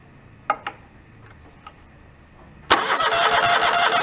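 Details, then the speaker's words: Mid-90s Toro Wheel Horse riding mower, still not cranking from the key, starter jumpered: a couple of clicks, then steady spinning but the engine never fires; still no spark after replugging wiring. "Yeah, still no spark. That wasn't our issue."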